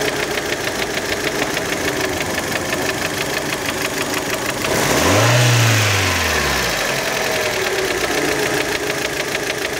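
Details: Warm Fiat Panda engine with throttle blips: steady, even knock about three per second at idle that quickens and swells with revs; engine knock, cause not identified.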